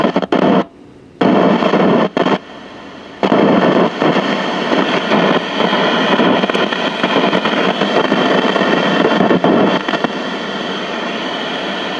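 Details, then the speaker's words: Crackling audio on a 1968 RCA Victor remote-control black-and-white tube portable TV (KCS160): loud steady static with dropouts and pops. The owner first suspected a bad volume control, but the volume control's ground wire solder joint had broken away from the chassis. "It is just a broken solder joint. The ground wire on the helicopter lifted off from the chassis."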